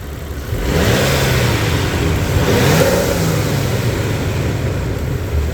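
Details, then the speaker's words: Warmed-up 1998 Nissan Skyline R34 GTT engine, about 38,325 on the odometer, recorded close to the engine; climbs smoothly from idle to a steady rev with only the normal tick, no knocking, quiet and healthy. "I mean, it's quiet, really quiet. I mean, I don't hear knocking, anything like that."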